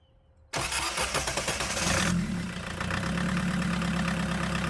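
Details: Chevy S10 pickup swapped to a 1.6L VW diesel, first start after bleeding the fuel system and glowing the plugs: brief crank, catches right away and settles into a steady, even diesel clatter at idle with no misfire.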